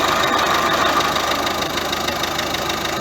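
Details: Ford C-Max 1.6 diesel driven in gear: a steady mid-pitched whine holds over road and engine noise, attributed to a worn differential (group) bearing in the gearbox. The gearbox is to be removed for overhaul.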